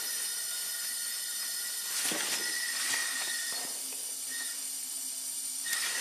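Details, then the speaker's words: 2001 Jeep Wrangler 4.0L, 379k miles, second engine, running rough: cylinder under shop air, steady airy hiss with faint pitch-shifting whistle heard at the exhaust pipe, not oil cap or intake; leaking exhaust valve. "yes I can hear it in the exhaust pipe and keep in mind it can also travel through the manifold to a neighboring cylinder"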